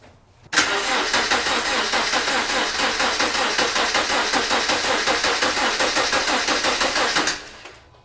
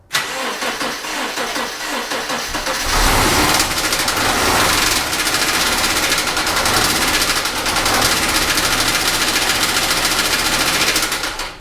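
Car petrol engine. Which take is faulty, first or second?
second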